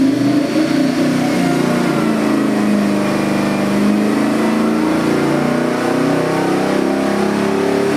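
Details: New LS3 416ci stroker crate V8 (600+ hp, 560+ lb-ft) for a 1969 Chevelle, full-throttle dyno pull: a loud, even roar holding a steady climb with no misses, knocks or rattles. Oil pressure and AFRs good, the engine pulls cleanly.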